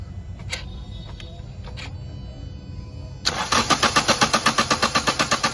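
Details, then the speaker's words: Toyota Etios diesel, petrol wrongly filled, tank drained and diesel filter assembly replaced: steady starter cranking that never catches; long crank caused by heavy back leakage from injectors 1 and 4 seen with return pipes removed. "দেখতেই পাচ্ছেন এই একটা injector 1 নম্বর আর 2 নম্বর ইঞ্জেক্টরের back leakage দেখুন কিভাবে 2 নম্বর আর 1 নম্বর injector, 1 নম্বর আর 4 নম্বর injector sorry এতটাই পরিমাণ back leakage করছে যে কারণে গাড়ি স্টার্ট হচ্ছে না।"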